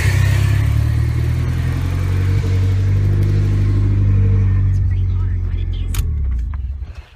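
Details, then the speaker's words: Car with a newly installed turbo, blow-off valve retuned for low boost until a new fuel pump is fitted: deep engine note ends in a clean, solid whoosh with no flutter. This is normal blow-off valve operation with no compressor surge. "all right right you see how that sounded like a it's a solid like whoosh sound not like a flutter or anything like that that's how you want them to sound"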